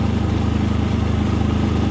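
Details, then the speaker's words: New Predator 3500 inverter generator on first start, pull-started with choke then switched to run, economy switch off: smooth, even low hum at steady speed, no misses or rattles; runs healthy and quiet. "pretty quiet though listen to that"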